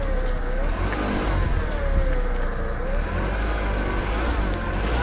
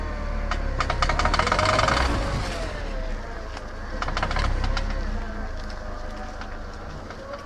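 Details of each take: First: VW Golf after CV joint repair, car rolling through a tight turn on wet road at night: steady engine and tyre noise with no rhythmic clicking from the front axle; normal CV joint. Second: VW Golf turning sharply while driving: rapid, uneven machine-gun clicking over the engine, less on left turns; worn outer CV joint.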